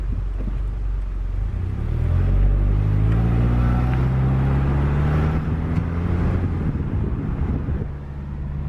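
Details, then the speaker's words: Magnaflow 11366 performance muffler on a 2010 Subaru Impreza, cruising: deep mellow rumble rising and falling with engine speed, not obnoxiously loud, better than stock, no rasp; normal exhaust note. "I mean it's not noxious Li loud it's not it's definitely better than stock ever was"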